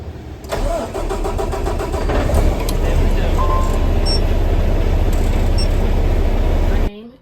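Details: Peterbilt 579 with Paccar diesel (thought to be MX-13) after replacing the failed, inoperative starter: starter cranks briefly, engine catches cleanly and settles into a steady even idle with no grinding or hesitation; normal start.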